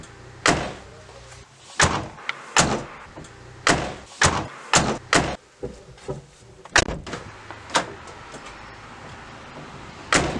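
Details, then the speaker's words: Renault Megane MK3 GT Line door before sound deadening: a dozen slams, each a hollow tinny bang with a short buzzy tail from the uninsulated metal door body and a loose lower plastic trim piece; door panel rattle on slam. "Our door rattle is the most annoying thing about this Megane."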